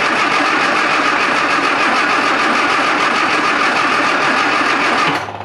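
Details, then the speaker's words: Classic Mini Clubman Estate cranks steadily for about five seconds but won't fire at all; something is heard trickling, so the fuel pipe from the pump to the carburettor float chamber is undone next for checking. "the answer to that is a hard no it won't even fire now"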